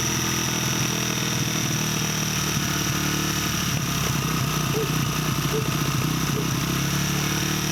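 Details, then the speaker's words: 1989 Honda XR100 dirt bike, a junk bike awaiting rebuild, idling after a new carburetor and throttle cable replaced seized originals. It had been test-fired on starter fluid first. Small single cylinder with a steady buzz, no knocks or hunting: healthy normal idle. "just put the new carburetor on and put the new throttle cable on because both of those were seized up and no good that's a good sign yes"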